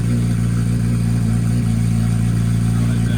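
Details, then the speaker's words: 2023 Kawasaki Ninja 636, new battery and M4 shorty exhaust fitted, quieter than previous straight pipe, just started before warm-up: smooth steady low burble, even beat, no rattles or misses — normal idle. "We got an M4 shorty exhaust. We're gonna start the bike up real quick and see what it sounds like. Not as loud as it was being straight pipe before."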